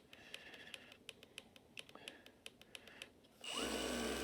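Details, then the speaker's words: Hueborly 5.0 brushless Mirka/Festool-style budget sander with 80-grit paper, speeds from four upward: light button ticks, then a smooth, even, fairly quiet whir with no rattle, not sanding; normal running. "oh my God that's so quiet I can actually hear over that"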